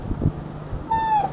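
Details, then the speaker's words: Two years and about 47,000 km, after front brake pad replacement (pads worn out; rear not yet replaced), front brake used: short squeal dropping slightly in pitch at the moment of stopping; owner suspects noise not from pads. "是有一点异响，可能不是刹车问题。"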